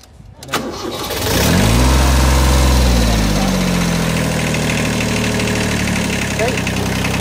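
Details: Tractor diesel started after about thirty seconds of glow plugs, engine already warm, a little throttle with clutch down: brief crank, then it catches cleanly, revs up and settles into a steady, even idle; a normal start.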